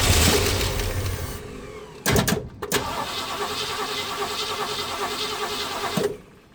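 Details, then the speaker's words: 1965 Ford Mustang 289 V8 barn find, parked 29 years, carb primed through a funnel: catches and runs unevenly about four seconds then dies; fuel spills around the top plate, carburetor not taking fuel. "So, we're going to It's not taking fuel thr"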